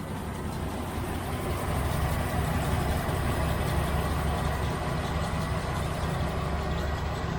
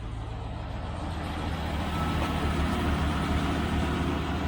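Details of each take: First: 1971 Range Rover petrol V8 idles with an uneven, loping beat because cylinder number one is not firing; next step is lubing the spark plug lead boots. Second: Early 1971 Range Rover Classic V8 after fixing a single-cylinder misfire: idling smoothly with a steady, even low burble, no skips.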